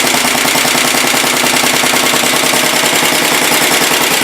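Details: 1967 Sears Suburban 10 tractor, first start after repairs: the small engine runs evenly with a fast crisp popping of about three beats per second at steady speed; low battery voltage is later traced to how it is used.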